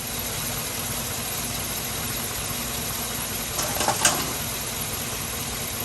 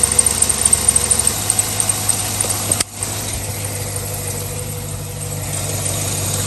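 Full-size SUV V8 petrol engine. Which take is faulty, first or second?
second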